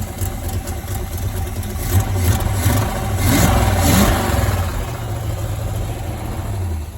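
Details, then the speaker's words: 1978 Corvette V8 after inverted battery cables fried the HEI module and coil, run with no coolant: lumpy idle that stumbles when revved, with beats dropping out and heavy smoke. Misfire suspected from firing order or plugs fouled by long cranking without spark. "Yeah, I doubt it's running on all 8. We gotta double check firing order. Pull the plugs, check the plugs, because that's a lot of smoke."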